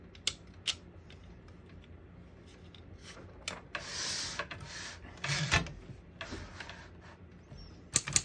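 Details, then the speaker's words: 1955 Underwood Universal portable typewriter, margins set at paper edges, single line spacing; crisp irregular key strikes then a margin bell ding at end of line, working normally. "Once you hear the bell, you're at the end of the margin. You hit the line space, gets you back to the beginning, and skips 1, 2, or 3 spaces."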